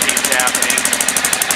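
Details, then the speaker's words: 2000 Aprilia Pegaso single idling with the choke on and the stock dual exhaust: sharp, crisp ticking puffs about eleven per second that follow the firing, an exhaust leak heard before the exhaust work. "before we do that I wanted to start the bike up so you can hear what it sounds like with the stock dual exhaust it does have a little bit of an exhaust leak"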